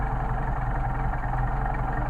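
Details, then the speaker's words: Mercedes 190SL with rebuilt, re-machined twin Solex carburetors, airflow balanced, idling around 500-700 rpm before idle mixture screw adjustment: low, steady, even idle with smooth pulse, no misses or stumbles; runs cleanly. "so now we have uniform airflow now we're going to check our idle mixture screws"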